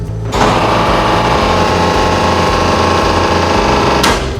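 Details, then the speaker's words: Haier Biomedical LX75L2400R floor-standing low-speed refrigerated centrifuge at first switch-on: harsh buzzing drone with steady rattle for about four seconds as the compressor starts, caused by incorrectly wired electricity supply; switch off and have an electrician fix the supply. "what we have found is in some cases the electricity supply to the unit will be incorrectly wired if that is the case you will hear a strange noise when the compressor switches on it sounds like"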